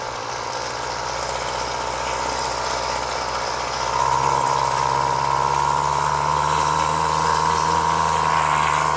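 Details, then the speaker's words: Flymo Maxi Trim two-stroke strimmer, off choke with the throttle opened. It drones low and lifts only slightly, never reaching full revs, then dies. A dirty carburettor is suspected of causing the sluggish running; the carb is to be stripped and cleaned. "it's not hitting the red but it's running really sluggish"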